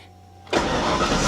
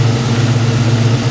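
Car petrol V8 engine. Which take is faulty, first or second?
first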